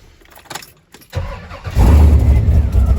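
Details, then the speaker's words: Chevy/GMC 8.1 V8 truck (1999-2007 Sierra/Silverado) with a crank-no-start problem fixed by correcting a coil ground wire: quick crank, then the engine catches cleanly and settles into a steady, even idle with no stumbling, a normal start. "it fires up."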